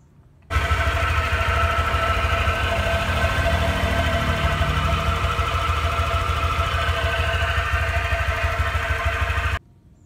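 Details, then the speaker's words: Automatic scooter the morning after riding through deep flood water: a coarse, gravelly rumble from the submerged CVT side at idle; the owner suspects final-drive gear oil mixed with water, unconfirmed; rough CVT noise. "nah ini ini kan CVT CVT itu terdengan bunyi kasar seperti ini videonya saya cantumkan"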